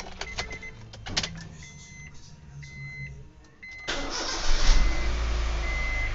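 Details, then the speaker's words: Honda Brio after battery replacement (plus terminal fitted first, then minus): a few chimes, the starter spins briefly and the engine fires at once into a steady idle; normal start, confirming the old weak battery was the problem. "dan hasilnya normal, jadi masalahnya memang ada pada baterai yang sudah basah atau apa namanya itu? Lemah."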